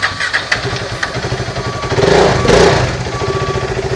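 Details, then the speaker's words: KTM RC 390 single that would not start, with no check light and the temperature reading full high, now after an ECM board repair. Starter whirs, then it catches and settles into a quick, slightly uneven idle thump; normal start and idle. "பார்த்தீங்கன்னா தெரியும் வண்டி வந்து start ஆகிடுச்சு."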